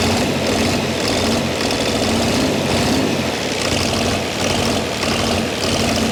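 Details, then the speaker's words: Chrysler diesel (rebranded Mitsubishi 6DS70 six-cylinder marine engine), barn-stored for years, after bleeding air until fuel reached the sixth injector: settles into a steady even run, constant low drone, no misses or knocks; normal idle. "we finally just got fuel coming out of the sixth injector and I think she just might take off"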